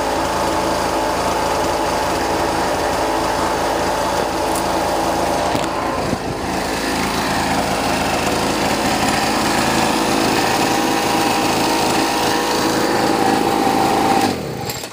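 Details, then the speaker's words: Boreem Tankman scooter, small two-stroke revived after sitting on a farm, ridden up and down a sidewalk half choked: buzzes unevenly with a rough, stumbling beat that never clears; runs and drives but not running right, cause unknown. "so as you guys can see for the the most part it it uh runs pretty good doesn't sound the best it definitely is not running right it's far from it but uh it runs and drives half choked"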